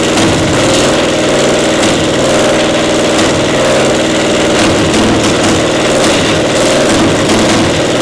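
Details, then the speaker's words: Caterpillar Diesel 70 pony motor under restoration: uneven, lumpy beat with dropped firing pulses, one cylinder hitting intermittently despite good blue spark; spark plug suspected, intermittent misfire from faulty magneto cap. "It's hitting intermittently like it's a spark. It's got a nice array of blue spark there, but it's not hitting every time."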